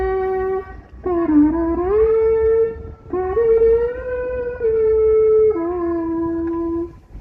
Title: Suara Aneh Pada Saat Kapal Berlabuh Jangkar